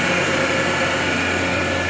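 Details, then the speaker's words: Gardner Denver Electra Screw EBE99K, 230 V 3-phase, 24,873 hours, freshly serviced with new fluids and filters, auto shutdown at 115 psi: steady even motor hum with smooth airy whoosh, no knocks or rattles; healthy running. "No irregular noises. Unit has been through the shop, checked over, fully serviced, and is ready to go to work and run for a long, long time."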